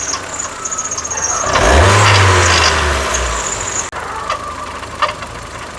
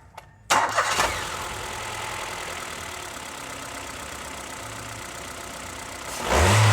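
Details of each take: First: Ford EcoSport with Sigma engine: loud rough grating whirr, sounding like internal knocking or rattling, swells as revs rise then settles over steady running; worn water pump bearing with pulley play. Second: Ford EcoSport Sigma engine with the alternator accessory belt removed; throttle blips fall back to a quiet, even idle with the rattling noise gone, pointing to a leaking, loose water pump. Normal idle with belt removed.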